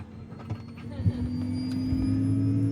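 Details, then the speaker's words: Hymer Venture S 2023 motorhome water pump under the double floor, labelled as a noisy prototype: a steady low drone with a hum underneath, louder than expected. "it's that there so uh so it says X Pump prototype noisy so and so above this noise is so on so my charger doesn't make a noise like that"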